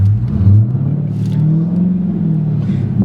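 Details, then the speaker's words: Dodge Challenger Hellcat with a failed pressure plate that damaged the clutch and flywheel: a steady high-revving drone with no pull, high RPM and very little movement even when changing gear, pointing to a slipping clutch. "even when you change the gear, it does the same thing. High RPMs, yeah. Very little movement. There's no need going for no test ride. I'm telling you right now, it's going in the clutch area."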